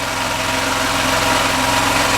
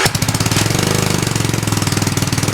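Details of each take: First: Small engine on a Hollingsworth air compressor, after fitting an added external muffler; smooth even idle with a quieter exhaust and only light normal mechanical clatter; normal idle. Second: Hollingsworth air compressor's small single-cylinder engine, restarted after flooding, with only the small stock muffler under the cooling shrouds: fast, even chugging with harsh, sharp exhaust pops; loud exhaust popping with only the small stock muffler.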